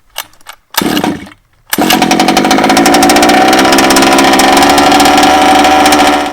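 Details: Baja small two-stroke, after blowing excess fuel out of the head, refitting the plug, priming and choking: a couple of short pulls, then it catches and runs at a steady, buzzy high idle. Cleared and running normally.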